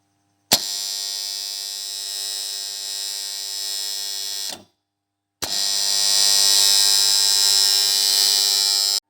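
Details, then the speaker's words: Three-phase motor starter makes a loud steady high-pitched electrical buzz, cutting off and restarting, typical of a dirty contactor coil and armature faces; contactor coil buzzing. "किसान दोस्तों, आपका starter या तीन phase अगर starter ऐसी आवाज करता है, लेकिन उसका क्या? इसका एक समाधान है, यही बात है।"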